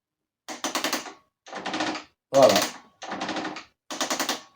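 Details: 1991 Honda CR250R, engine off: kickstarter gives a quick rattling ratchet clatter instead of catching, intermittently slipping; owner suspects remaining side play in the kick mechanism, unconfirmed.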